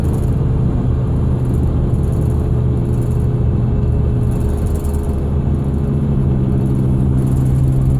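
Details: 2001 Ford Excursion: a steady, fairly low whine of constant pitch over the vehicle's rumble; source unknown and still being diagnosed.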